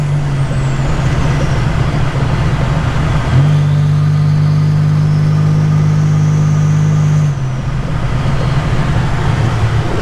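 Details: 1985 Nissan 300ZX Turbo (Z31) after new plugs, wires, coolant top-up and fixing vacuum and boost leaks; neighborhood lap, not floored or redlined: steady loud drone steps up firmly under throttle over road noise, pulls cleanly into boost; normal running under boost.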